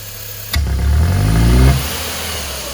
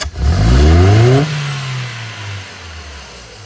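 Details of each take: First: Ford car (Fiesta/Ka/EcoSport/Courier/Focus family) losing power, backfiring and using much fuel: engine blipped hard climbs slowly and sluggishly then drops to idle with faint pops; hesitant revving, cause not confirmed. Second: Ford Fiesta Zetec Rocam with power loss and popping: two quick hard blips climb cleanly and drop back to idle with no popping, stumble or misfire; revs freely, healthy.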